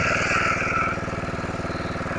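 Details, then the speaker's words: Simplicity rear-engine lawnmower revived after sitting 32 years: drops from a faster run to a steady, even putter at idle, regular firing, no misses or knocks. Normal idle, a working unit. "I do believe that we got a working unit here."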